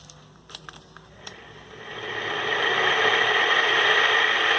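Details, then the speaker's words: Ceiling fan about one month old, water infiltrated causing rust, spins up with rough gritty rush and thin whine from worn rusted bearings (6201), before bearing replacement. "pessoal esse aqui é o barulho do ventilador com os rolamentos ruim tá"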